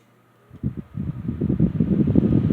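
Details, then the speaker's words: Restored Patton U2-1479 14-inch fan, rotor shaft cleaned, bearings oiled, new felt wick, stator revarnished, started on high speed: a smooth, even whoosh that builds steadily with no ticking or rubbing. Normal running. "This thing is very powerful. Puts out a really good volume of air. Packs quite a punch for a 14-inch fan."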